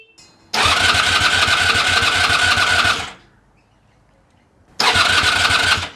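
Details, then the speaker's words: Honda VF1000F motorcycle resurrection with new starter clutch, fuel supply uncertain: two bursts of brisk, even cranking about 2.5 s then 1 s, spinning over better than before with oil pressure, but it never fires. "Gee, it's never sounded as good before, but hasn't fired yet."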